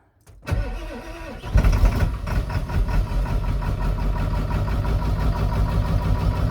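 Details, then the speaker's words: Ford 7.3L Powerstroke diesel (lift pump, no electric pump), new fuel tank and filter, reprimed after sitting days with empty fuel bowl, weak batteries; short crank catches into lumpy, uneven clatter as air bleeds out of fuel system; starts after repriming. "Let it breathe all the air out of the system."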